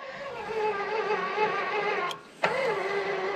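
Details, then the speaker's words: Walker zero-turn mower implement-mount linear actuator labouring with a person standing on it: steady motor whine dips, strains, cuts and restarts heavily in both directions; suspected friction in the ball screw rather than weight. "whoa yeah no not not too i mean it's definitely struggling but"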